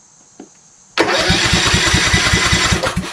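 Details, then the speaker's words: Craftsman YS4500 lawn tractor with Kohler Courage 20 HP engine, new battery fitted, fuel solenoid clicking: quiet, then fires instantly and runs about two seconds with quick, even firing on starting fluid before dropping off; engine sounds healthy. "cool all right that sounds pretty good actually"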